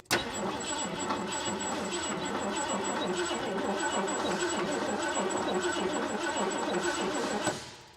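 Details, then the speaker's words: 1979 Ford F250 4x4 with a two-barrel Motorcraft carburetor, off the road since 1994: about eight seconds of steady cranking with no firing. It isn't getting fuel; the owner suspects a stuck float or a bad fuel pump, and a fuel line was found leaking. "Why aren't we getting fuel?"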